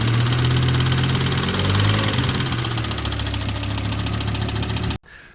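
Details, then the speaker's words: 1997 Volvo 850R, 150k miles, 23 years old, idling with a loud, fast ticking knock, about three to four a second; top-end oil starvation suspected from worn oil pickup/sump O-ring seals, fixed by replacing them. "yeah that's not really good that sounds pretty bad as you can tell"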